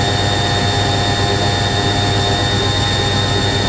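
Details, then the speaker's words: Newly acquired washing machine spinning at 500 RPM: steady motor hum, slightly deeper than an A3060, with smooth rise and fall in speed and no thumping or rocking; drum balanced, normal spin. "It's not that unbalanced, but that's really stable. That sounds so good. Notice the motor sounds slightly deeper than the A3060."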